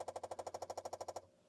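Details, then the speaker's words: Apple II with an open-source Liron SmartPort card in slot 6 (SmartPort mode) and a clone floppy drive, at power-on: about a dozen quick, even clacks at roughly ten per second, then silence. This is the normal head bump. "That sounds normal. We had the old head bump there."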